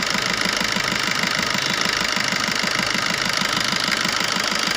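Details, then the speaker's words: Maruti Swift diesel idling after servicing the No. 1 injector, whose return was double normal and had caused regular knocking, vibration and white smoke; now an even soft clatter, no knock, smooth running. "जब हमने इसका सर्विस कराया 1 number injector का, इसकी problem sort out हो गई। देख सकते हैं। और जो इंजन में वाइब्रेशंस थी वो भी गायब। देख सकते हैं बिल्कुल एकदम स्मूथ।"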